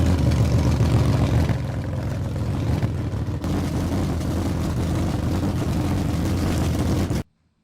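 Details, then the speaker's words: 1999 Mazda Miata 1.8 L manual at idle: low, slightly uneven rumble with an occasional bump from a misfire; progressive power loss on acceleration and code P0420. "it is set here in idle but you can hear a little bump in it and you'll notice something's missing here already"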